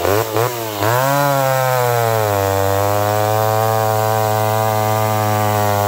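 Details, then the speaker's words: McCulloch Pro Mac 1010 chainsaw cutting wood with a dull chain, high jet barely open; owner suspects the carburetor. It blips a few times, then pulls down into a lower, strained buzz, bogging and unable to hold revs. Improved, not 100%. "well it ain't a hundred percent but it's much much better than it was but you can see that chain is getting dull"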